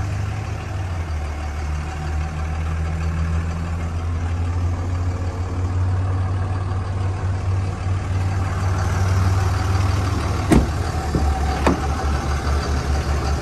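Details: 2003 Dodge Ram 2500 Sport 4x4, 5.9 Cummins common-rail diesel, automatic, 85,668 miles, one owner, after start: low steady diesel rumble settling into an even idle, no knocks or misses; healthy.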